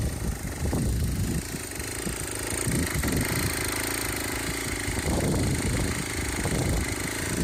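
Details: Aprilia SR50 two-stroke scooter on a test frame, after fixing a loose flywheel and bad fuel pump wiring: small two-stroke buzzes steadily on the stand with its usual uneven crackle, no knocking or grinding; running normally.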